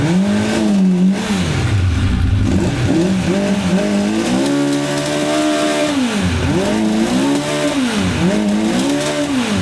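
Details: 1985 Honda CB1100F four stored about 20 years, after carb clean, air filter removed, choke stuck open: repeated blips climb smoothly and drop straight back to a steady idle; owner notes bucking around 6,500–8,500 rpm.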